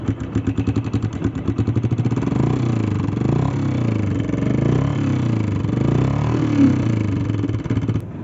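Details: Honda 125, 1991 model: small single-cylinder ticking and clattering from the head that quickens with revs; top-end noise from a worn cam follower.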